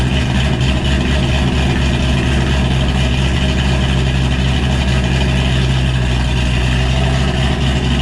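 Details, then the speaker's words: 2007 Ford Shelby GT500 with cam, being moved: deep, heavy rumble with steady low beat, no knocks or rattles; healthy cammed V8 idle. "man that sound never gets old"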